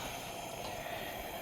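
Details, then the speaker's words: Mid-1930s 228 pressure lantern, partially torn down to check burner tubes after yellow-burning mantles, reassembled and running: steady, even hissing roar with no sputter or pulsing; sounds normal though owner is still not fully happy. "i mean it certainly sounds like it's supposed to it looks like it's supposed to to a certain extent but man i'm still just not real happy with it"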